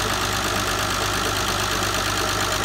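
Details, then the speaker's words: 2000 Vauxhall Vectra B GSi 2.5 V6, just started after nearly four years off the road, warming up: steady, even idle with a faint light top-end tick; the owner suspects the top end still needs oil to circulate. "got it used to sound like that maybe a little bit cavity at the top end i need oil to run through a bit"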